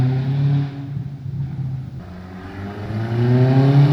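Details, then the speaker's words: 2002 Audi A4 B6 after used turbo replacement fixing boost, vacuum and exhaust leaks, EGR deleted: settles, then revs up smoothly with an even rising tone, no hesitation or rattle. Normal running. "There you go. Car starts perfectly."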